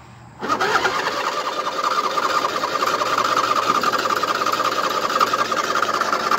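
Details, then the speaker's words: 2007 Husqvarna YTH2454 riding mower, just hosed down with wires wet, choke off: long cranking with uneven, scattered firing that never settles; owner says it always hard-starts when wet; hard starting. "that's the long hardest i've cranked on it so yeah it was firing with choke off so i think i'll keep it with the choke off"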